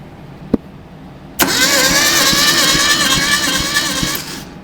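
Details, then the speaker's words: 1972 Datsun 620 compression test, cranking cylinder three: even starter cranking at about three beats per second with no firing; reads under 50 psi against about 100 on another cylinder and 60 on cylinder four, so low compression. "H what a dismal performance less than 50 we'll call it 50 cuz we're hopeful this thing's going to make me wish I just gave it to him after all"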